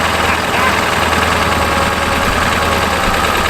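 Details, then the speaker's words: Ford 7.3 Power Stroke diesel farm truck, sitting for years, first start in Minnesota winter with a little throttle: loud, lumpy diesel clatter holding steady; running but rough idle after starting. "Listen to that. You're even kind of idles. I can live with that."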